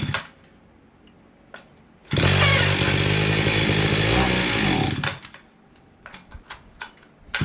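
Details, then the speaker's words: Circa 1974-76 Stihl 031 AV chainsaw unused about 5 years, before carb cleaning, choke being varied; snarls about three seconds then revs sag and it dies despite fuel in tank; fuel starvation from clogged carburetor screen. "okay it's got gas in it but it seems like it's running out of gas let's see what we got here"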